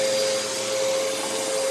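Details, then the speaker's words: Moosoo U1400-A vacuum with a 12 amp motor, vacuuming a living room: steady high motor whine over a rush of airflow, holding even throughout, similar to older Bissells. Running normally. "i don't know if you can even hear me over this motor it is a 12 amp motor it sounds pretty much exactly like a bissell like a lot of the uh older missiles like my my queen view 9595a sounds very similar to this machine"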